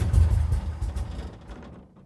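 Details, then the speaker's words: 1979 Camaro big block Chevy V8, long unused, started on a sip of two-stroke fuel after cleaning the starter solenoid contacts. A deep, loud rumble catches and revs hard, then settles and fades smoothly. It runs cleanly with no knocks. "Ha ha! I absolutely love that sound."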